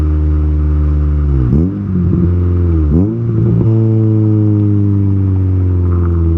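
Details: Honda K20A2 engine pulling to 8,000 rpm through first to third gear after first start-up; strong clean exhaust note with crisp dips at shifts, no misses or knocks, healthy. Possible O2 sensor fault or bad relay pending.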